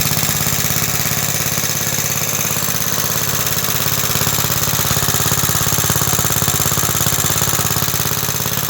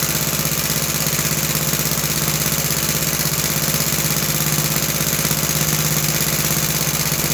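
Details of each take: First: Roughly 66-year-old 1960s English Suffolk engine after carb clean and new plug wire: steady, evenly spaced metallic rattle about three beats a second over the running engine; owner places it in the starting mechanism, cause unconfirmed. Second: About 66-year-old 1960s English Suffolk single-cylinder engine after carb clean and new plug wire: steady even chuffing at constant speed, no misses or knocks; running smoothly.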